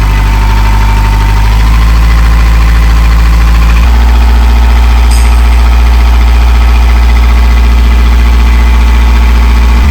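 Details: Narrowboat diesel after in-situ repair: steady even low thump about three beats a second, no knocks or misses; healthy idle.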